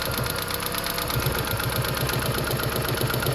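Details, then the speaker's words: Toyota Prius hybrid with a P0304 cylinder 4 misfire: uneven idle with a popping, regular pulsing stumble about four per second when a wire is pulled out, a dead-cylinder miss. Coils, plugs and injectors had already been replaced without a fix. "I've been hearing some popping noise coming from the engine, but I can't move from that."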